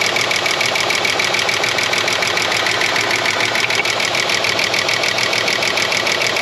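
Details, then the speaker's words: 30-year-old Ford Falcon revived from a paddock, started cold with water-level light on: steady idle with a busy chattery tick of roughly a hundred clicks a minute and galloping; owner suspects a stuck lifter and a dead cylinder. "I can hear it, but it doesn't sound happy. Righto. My water level light's still on. Didn't like how that galloped. Very chattery."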